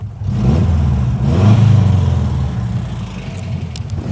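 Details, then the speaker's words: Subaru Brumby/BRAT pickup, just started, with a Cherry Bomb silencer fitted to the exhaust and no tuning: deep, throaty burble swelling with each throttle blip and settling back smoothly; normal running, loud aftermarket exhaust. "Uh, it's actually got a cherry bomb fitted to the exhaust, so it does sound quite um meaty, should we say."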